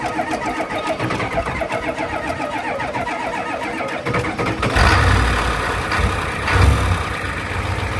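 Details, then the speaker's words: 1988 Ford 7.3 IDI diesel after turbo rebuild and reinstall (turbo had been noisy, dirt cleaned from under intake manifold): long steady cranking about four beats a second for nearly five seconds, then catches without starting fluid and settles into healthy rumbling idle; normal start. "Took a little persuasion, but it started. No starting fluid, it just went."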